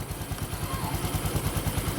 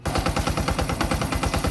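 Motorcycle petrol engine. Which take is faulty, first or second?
second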